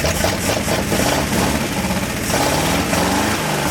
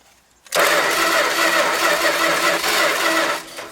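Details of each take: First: 1970 Dodge Power Wagon 200 Dude V8 plow truck, parked 40 years, fuel not drawn from the tank; fires and settles into a steady, slightly lumpy idle with no knocks. A healthy runner, and the plow works. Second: Dodge Power Wagon 200 Dude four-wheel-drive V8 plow truck, parked 40 years, with toast plug wires; steady, even cranking that never catches, very faint spark. Owner suspects the points (or condenser) and will replace them.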